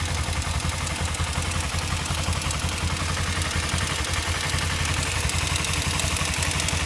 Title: Kawasaki ninja 250cc ticking noise, any idea what's coursing this